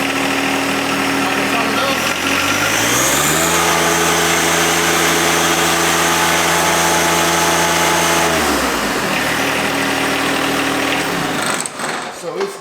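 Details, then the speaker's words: John Deere 1025R diesel tractor, previously sputtering and stalling after about 30 seconds, after both fuel filters were replaced and coolant refilled. It now starts easily, idles steady and even, revs cleanly and drops back smoothly with no misses or knocks. "It cranks up. I used to couldn't even crank it up really. It runs."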